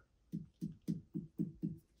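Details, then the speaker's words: Marshall DSL40CR combo amp, EL34 power tube being tapped by hand: six evenly spaced tapping knocks, each followed by a short jangly rattle from loose debris inside the tube; the other tube taps solid. "there's the problem that I'm having is with this tube you can hear it when I maybe it'll come out but it's got a jangling rattle from stuff in it"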